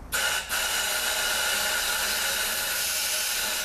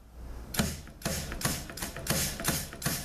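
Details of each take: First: 6L50 transmission rebuild, air checking the 1-2-3-4 clutch pack with new overhaul-kit sealing rings: steady loud hiss of escaping air, no thump of the clutch applying; rings leak, fixed by reusing the original rings. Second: 6L50 transmission rebuild, clutch packs air-checked: crisp air blasts each ending in a firm piston thump with hardly any bleed-off; the seals hold, a healthy clutch pack air check.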